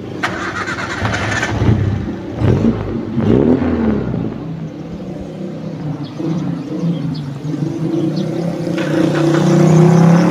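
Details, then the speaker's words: 1997 Suzuki Sidekick, oil slightly black but not mixed with coolant: cranks and catches quickly into a smooth, steady idle with light revs, with no metal knock from rings or block; normal idle. "udah kita starter dan kondisinya langsam suaranya halus suaranya enggak ada masalah"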